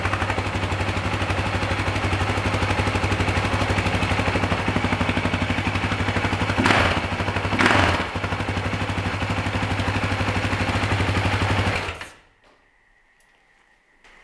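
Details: 2009 Husaberg FE 450 single-cylinder: slow, even thump at a calm idle after repeated idle-speed adjustment, sounding quieter and freer than before, no stumbling, then switched off; idling properly.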